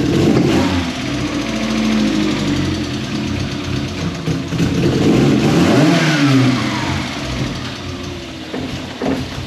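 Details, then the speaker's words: MK1 Ford Fiesta with Zetec conversion, petrol: an uneven, lumpy idle that hunts and stumbles through throttle blips; idle is worst cold and the engine tends to die when throttle is touched cold. "but as you heard In that clip the idol is absolutely terrible especially when she's cold and you put your foot down especially on like a wide open throttle or even just touch the throttle when she's cold the engine does tend to die"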